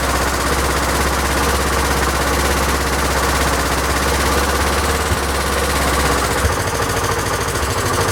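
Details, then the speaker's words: Honda XL1000 Varadero V-twin after rebuild, idle speed raised because it ran low and kept cutting out: loping but even idle holds a steady beat without stumbling; normal idle, much better. "well it seems to be a lot better again"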